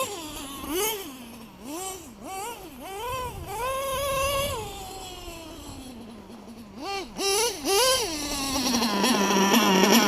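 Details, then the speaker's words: LRP .32 nitro engine with Novarossi race carb, first run of the day: shrill screaming revs climbing sharply on each throttle blip and hanging high; owner thinks the high-speed needle is a little too lean. "I think I had her a little little bit too lean all right people let me give her a once-over real quick"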